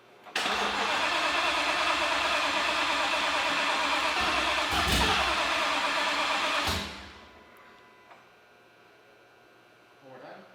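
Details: Ford Mustang with a freshly installed fully built RPG engine, first start attempt after a new tune got the fuel pumps running: the starter spins the engine steadily for about six seconds without it firing, then cuts out; cranks but won't start.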